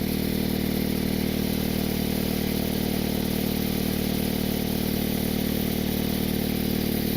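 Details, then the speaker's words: Even idle with a raspy puffing chuff on each firing pulse after a roofing-cement exhaust patch; exhaust still escaping through the completely shattered flex pipe, leak persists. "there still seems to be a leak right over here I mean the flex pipe is completely shattered"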